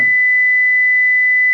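A steady, pure high tone around 2 kHz holds unwavering, with only a faint low hum underneath.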